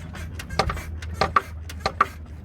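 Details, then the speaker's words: Daewoo Nexia driven over bumps, heard from the cabin: sharp uneven clunks several per second from the front suspension; damaged front strut tower, after incorrectly installed control arms caused squeaks. "этот стук, это стакан въебал, нахуй."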